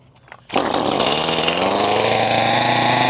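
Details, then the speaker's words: Echo CS-310 chainsaw that was hard to start and bogged down, now running after a new carburetor, fuel lines, gaskets and primer bulb, air filter off: catches instantly, crisp steady high-pitched buzz, no bogging; running normally. "She seems to be working great now with that new carburetor."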